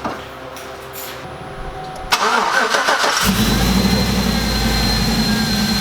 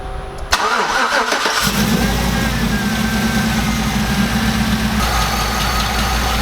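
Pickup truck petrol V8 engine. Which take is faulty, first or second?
first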